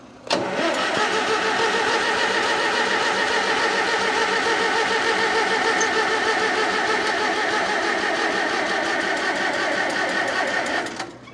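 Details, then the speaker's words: 1947 Farmall M, first start since October, on almost year-old regular pump gas, carburetor still dripping: about eleven seconds of steady cranking that never catches; crank no start, flooded, owner hopes float isn't sticking. "still dripping so it's likely flooded a lot"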